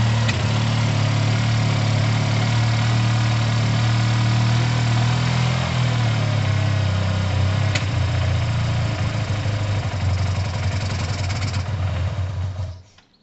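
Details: Yamaha TMAX carbureted scooter, second start attempt after cleaning tar-clogged carbs, airbox off: uneven, lumpy idle that stumbles and bogs as throttle opens, then dies; fuel mixture likely still off, coolant dripping.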